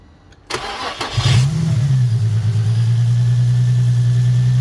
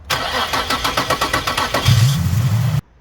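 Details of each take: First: Nissan 350Z after replacing camshaft position sensors (code likely P0345, bank two) on both banks: brief starter whirr, then fires immediately and settles into a smooth, even low idle; normal quick start instead of long cranking. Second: Nissan 350Z cranking: nearly two seconds of even starter chugging before it catches and roars; slow, hard start from a failing camshaft position sensor, possibly code P0345, bank two.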